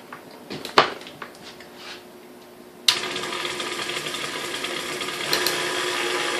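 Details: KitchenAid 3C stand mixer after restoration with replaced field coil and armature (original armature failure suspected of overheating the coil): switches on to a smooth, steady whir with no grinding or rattles; motor runs cleanly and evenly.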